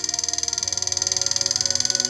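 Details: Prototype heat gun electronic control board in a quiet room: fast, even, crisp ticking at about thirteen a second as the controller regulates temperature and motor; switching normally.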